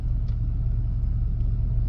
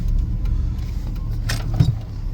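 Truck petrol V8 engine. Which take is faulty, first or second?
first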